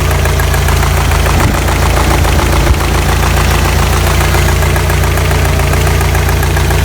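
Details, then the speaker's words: Warm idle after about 10 minutes at normal temperature on a 1985 Toyota Pickup 22R 2.4, just after a fuel filter change: light quick top-end tick, three or four a second; suspected lifter noise or timing chain slap from bad guides, unconfirmed. "Got some lifter noise here, or maybe chain slap, bad guides, or maybe lifter noise."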